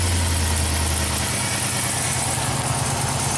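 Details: 2003 Chevy Silverado Classic V8 with a no-crank fault, started during diagnosis while the crank fuse still shows no voltage from the ignition switch and left to warm up: steady, even low rumble with no knocks or misses; normal idle.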